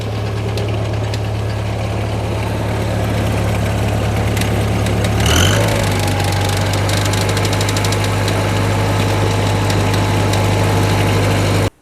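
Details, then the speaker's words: International 184 tractor after repairs, idling a while: steady even low idle, smooth, no knocks or misses; slight chatter is the access/body panel rattling against frame; normal idle. "a little while now and seems like it's idling perfectly fine again we're gonna let it sit and see what it does"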